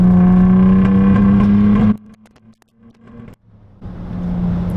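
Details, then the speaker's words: Car with a newly fitted turbo and no tune yet, warmed up, downshifted to third around 50 and accelerated hard: loud steady drone that stumbles under load, a misfire under boost. "so uh i think you guys could hear that pretty pretty clearly it it doesn't misfire when you get on it you know like i'm in [Music] sixth so it's still got that low end torque"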